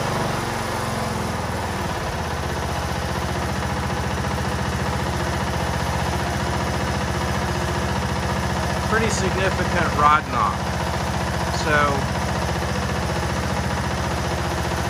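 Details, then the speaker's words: John Deere LA102 lawn tractor, Briggs & Stratton Intek single-cylinder: sounds fine revving high off choke, but at idle gives a dull, regular knock three to four a second. Suspected rod knock in the bottom end, engine removed for diagnosis. "The engine sounds great when it's revving up high when you first come off a choke, but if you throttle down and get it to idle, well, just stay tuned."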